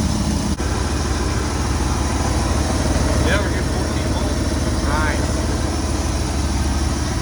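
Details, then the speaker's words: 1996 Ford F-250 with 460 big-block V8, rat-damaged, timing set by ear: low, steady V8 burble at idle with an even beat and no misses; idles fine. "it's running all right she's good for another 300. it's alive"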